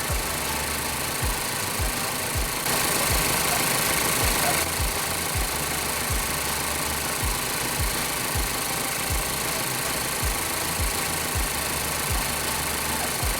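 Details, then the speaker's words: Ford Focus idling about 40–50 minutes after its engine oil was replaced with Prime drink: uneven idle with irregular low thumps around two per second and dull knocking, heavy smoke and a fruity smell; a misfire is suspected. "we're about 40 or 50 minutes from uh putting Prime in this car and it's still running and we're finally think we're seeing a misfire"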